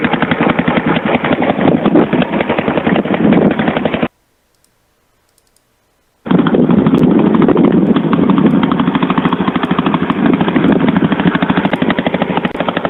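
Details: 1982 Yamaha SR 250 Special Edition single on choke, likely during carburetion tuning: loud, raw, rapid lawnmower-like popping beat, briefly cutting out, blatty from a holed, leaking exhaust line; exhaust leak.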